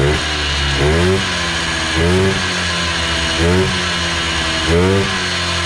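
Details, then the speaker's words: 1980s Polaris 250cc two-stroke ATV revived after years dormant, with fuel line replaced, airbox off: crisp revving that blips up and falls back about every second, climbing and settling cleanly. Started on its own with choke; runs well; carb may need tweaking. "I think that's a successful uh revival on this old Polaris. Runs pretty darn good. started right up on its own with the choke was at one two poles and uh she is running."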